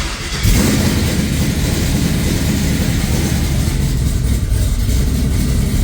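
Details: Oldsmobile Cutlass after repair, no codes: brief crank catches within half a second, then settles into a smooth, even idle with no misses or knocks; a healthy start.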